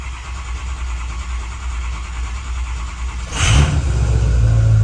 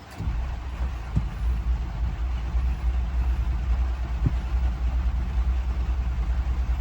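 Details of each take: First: Ford 6.0 Powerstroke diesel with electrical issues, cold after sitting six hours: cranks and catches quickly, revs up, settles into deep steady rumble; starts much easier than earlier, normal cold start. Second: Ford 6.0 Powerstroke diesel hot start attempt after driving: a steady rapid starter chug that keeps cranking and never catches. Cause unknown; owner suspects an electrical issue and notes others will suspect a high pressure oil leak.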